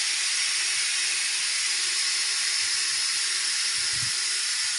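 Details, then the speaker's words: Chiller heat exchanger refilling with water after maintenance: steady, even high hiss of water rushing in, no change in pitch; normal during refill, with valves opened slowly and the hiss stopping when full, before bleeding from the top. "As soon as you hear the hissing sound, stop."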